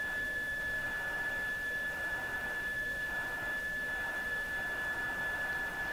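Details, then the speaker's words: Mohawk Serenader farm radio under assessment: a steady, clear high test tone over soft hiss as a signal generator feeds a signal into the antenna lead. The radio is receiving normally. "Now, let's put a tone into the radio, so you can hear the tones. So it's working. The radio is working."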